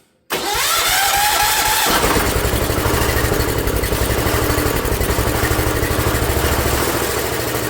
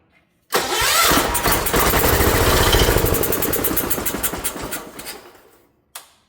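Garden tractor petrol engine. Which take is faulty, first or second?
first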